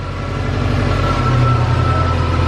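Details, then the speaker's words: Subaru (owner's 2008 Legacy GT) after an eBay turbo install, on its second startup left to idle: steady, even low idle with a smooth pulse and no misses or knocks, and no white smoke. Normal idle. "no smoke at all that's crazy turn dude it sounds great there's no white smoke bro she runs let's go dude"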